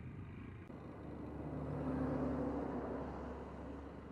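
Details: Motorcycle ridden at low revs, about 20°C: light steady tapping about four per second under engine rumble; problem began suddenly while riding; top-end tap, cause unknown.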